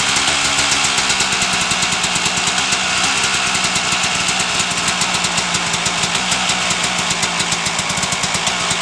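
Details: 1997 Suzuki RM250 two-stroke started in gear with choke after repairing dented header pipe: loud crackly buzz holding even, no misfires or rattles; runs clean and healthy.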